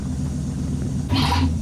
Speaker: God this thing needs a muffler